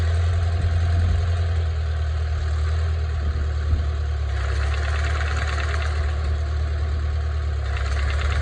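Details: IH Farmall Tractor with used Cub 22 mower, PTO engaged: steady low engine drone with a faint recurring rattle, more vibration than wanted under mowing load; mower freshly installed and greased.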